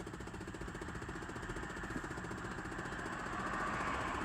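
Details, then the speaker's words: 2008 Chevy Impala with the engine idling during a test run of a newly installed Android radio. Steady fast tapping from the dash, about four taps a second, blamed on the actuator. Cause suspected, not confirmed. "Sorry for the actuator. That tapping noise. That's the actual way to doing all that tapping."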